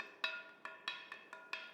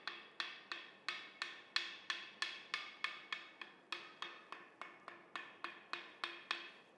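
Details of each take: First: Ring test before mounting a grinding wheel, tapped lightly around the edge with timber: seven clear, lingering bell-like rings, meaning no faults or cracks. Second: But what does it sound like when there is a crack? So we've gone and cracked this wheel on purpose to clearly show you what a dull sound will be.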